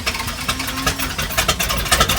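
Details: 1977 Dodge Power Wagon plow truck, started (it ran earlier that day), with good oil pressure: rough-edged but steady idle just after firing up, no knocks or squeals; normal idle after cold start.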